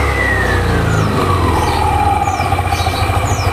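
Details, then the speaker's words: Yamaha All New Nmax 155 with upgraded CVT (13.8° Astro pulley, double clutch bell, 10/13g rollers, PCX 1500rpm CVT spring), on stand: revs from idle with smooth belt hum sliding as pulleys shift; normal CVT revving. "Nah jadi seperti ini suaranya guys kalau udah upgrade curian dan kita akan coba langsung gas seperti apa sih penampakan posisi fan beltnya ketika di gas"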